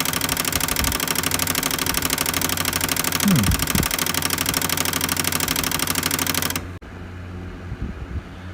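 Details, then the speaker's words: Pioneer CLD-D503 double-sided LaserDisc player, trying to play a disc: sharp, even clicking about twice a second repeating as the laser sled tries to move and can't; the laser sled is stuck. "started making a weird rattling sound when I went to go play a LaserDisc so let's uh fire this guy up so you can hear what's going on and we'll troubleshoot and attempt to repair"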